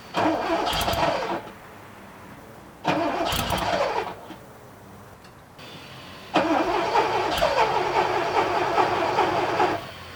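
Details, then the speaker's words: 1979 Porsche 928 after sitting: repeated cranking bursts without catching, then a longer crank; took 5–10 minutes and 10–12 key turns to start, injectors heard squealing. "that wasn't a massive surprise that it took so long um I don't know how much I show you but it probably took me 10 minutes to get it started"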